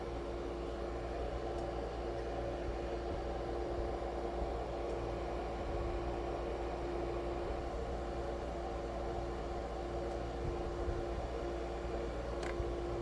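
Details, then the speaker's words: Shinil SIM-M230WS ice maker after repair, making ice: the compressor runs with a steady, even hum and faint constant mid tone, no knocking or rattling, while the stainless evaporator gets very cold. Normal compressor operation. "지금 콤프레셔가 돌면서 저 스탠레스 그 요요 요거 있죠? 요거 여기가 굉장히 차가워집니다."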